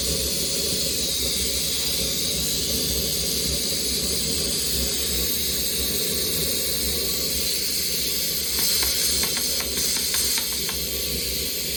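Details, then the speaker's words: Maxitrak 1.5-inch Allchin live-steam model locomotive during first steaming: strong, steady hiss of steam venting without a break as the boiler is run right up to pressure; safety valve lifting at working pressure. "essure if you wanted to that's what I run it right the way up and show the safety is blowing off"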